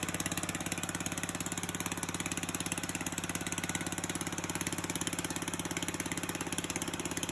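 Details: Murray push mower with a 3.5 hp Tecumseh engine, hand-started after a carburetor rebuild: the small single-cylinder runs fast and evenly with a crisp, steady beat and no misses. A healthy engine.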